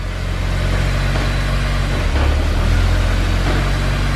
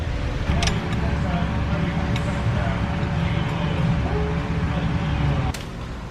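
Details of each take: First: Honda S2000 after Clutch Masters FX300 clutch and Honda release bearing install: steady, even low rumble at idle with no knocks, ticks or misses, brief starter hang-on noise after start; normal idle. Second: Honda S2000 just after a Clutch Masters FX300 clutch and new release bearing install; engine catches and settles into a low rumble with a harsh grinding rasp right after starting. Starter staying engaged, a common reason for starter replacement.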